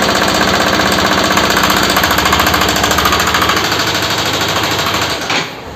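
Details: Bajaj RS200 motorcycle engine noise problem: fast, hard clattering at roughly three to four knocks a second riding over the engine run; a mechanical rattle of unclear origin.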